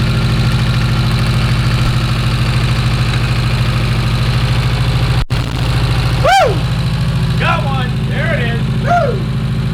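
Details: Porsche 924 Turbo that hasn't run right for years: uneven lumpy idle with an irregular stumble; a mouse-chewed plug wire with missing insulation is arcing and doing nothing, and it runs better disconnected. Misfire from damaged plug lead.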